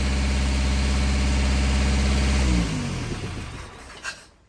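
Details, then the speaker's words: Volvo 242 four-cylinder petrol engine on DCOE carburetors after timing adjustment, started on key: smooth, even idle, then switched off and winds down; runs fine, idle maybe a little high, linkage needs sorting. "It runs fine. I think we got some linkage to sort out. Maybe set the idle a little lower. Sounds good."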